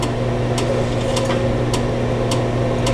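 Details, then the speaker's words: Older manual-lighting pellet stove a couple of minutes after lighting: light, evenly spaced ticks about twice a second over a steady low blower hum as pellets feed in a little at a time; feeding normally. "you can see hopeful you've just some of the pellets that are going in they just go in a little bit at a time"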